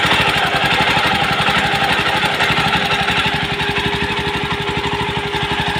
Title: jawa 42 heating issue and engine sound problem issue how to do it right , #jawa #yezdi